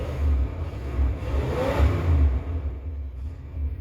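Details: 1970 Chevy Impala 400 small-block, long abandoned, on temporary gas can via its fuel pump: deep V8 rumble swells on throttle blips and settles back without stumbling, no oil pressure light; normal running after restart.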